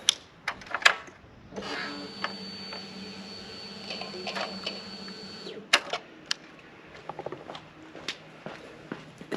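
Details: Ducati Monster 600 at key-on: a steady electric buzz for about four seconds, then it stops cleanly, which is a normal fuel pump prime.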